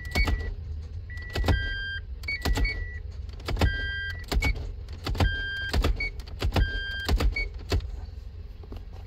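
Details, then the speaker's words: Toyota MMT semi-automatic gearbox (Aisin) clutch actuator after repair, set P0810; electric motor whirs and clicks in repeated bursts between test beeps during real-time computer test, reading minus 7.5, clutch pulls very easily; normal clutch actuator operation. "you see minus 7 and half it say how how much too easy pulling the clutch very easy and in this the clutch actuator will work in very good"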